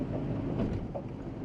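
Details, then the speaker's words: 2001 Toyota Tundra on gravel, low driving rumble, then a couple of dull clunks as the transfer case drops from four-high into two-wheel drive as intended; normal 4WD disengagement. "Clunk. Ah. Okay. And now it's in two wheel drive, which is what I was trying to do."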